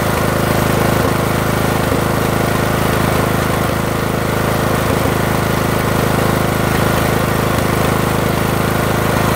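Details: Briggs & Stratton 18.5 mower engine runs rough and smokes; steady drone with an uneven beat and periodic stumbles about three a second, cause unclear.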